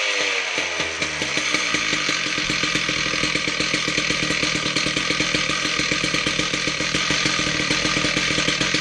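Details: Husqvarna K760 Cut n Break concrete saw after head bearing and clutch drum replacement and belt tightening, test run: engine picks up quickly into steady high-pitched two-stroke scream, no rattle or grinding from clutch side; normal running.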